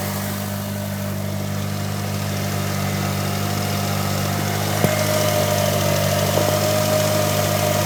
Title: Chirping Noise 98 eclipse gsx